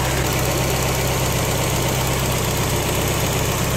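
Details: Engine just after fuel injector leak repair, fuel lines reconnected and fuel pump relay refitted, no gas leaking; smooth, even idle with a steady low rumble and no knocks, misses or hiss; normal idle.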